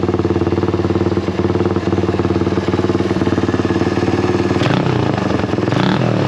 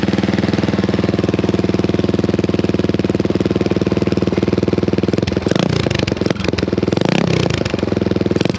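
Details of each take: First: Honda XL175 single-cylinder motorcycle after fitting a new eBay replacement muffler, at idle with a couple of blips: steady popping, about four pulses a second, deeper different tone but not much quieter; normal exhaust note. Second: Honda XL175 single-cylinder with its old muffler, before replacement with an aftermarket muffler: sharp rapid popping idle with two throttle blips, a raw ear-piercing bark; the muffler does almost nothing.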